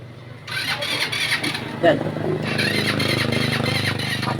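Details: GY6 scooter with freshly charged battery, crank no start: starter keeps whirring with a steady rhythm but the engine never fires; battery ruled out.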